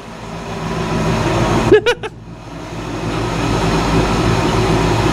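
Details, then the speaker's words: 1955 Chevy Nomad V8, first run in years after a long sit, carburetor choke zip-tied: even, quiet idle with a smooth low burble and one brief handling clatter. Normal, stable idle. "look at that it's mint just idle's good and everything"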